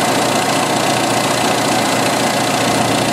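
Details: 1986 Jeep XJ 2.5L at idle after fixing one of two vacuum leaks (crankcase ventilation misrouted under a non-original valve cover, engine ran very lean); idles a lot smoother, even steady hum, long-term fuel trim still high.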